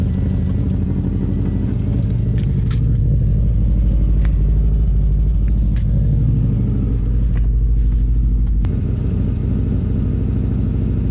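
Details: Subaru WRX under acceleration: a deep, lumpy, irregular drone as the engine runs rough and pulls weakly. It makes only about 5 psi boost, idles rough warm and cold, and blows black smoke from unburned fuel. Owner suspects a bad wastegate.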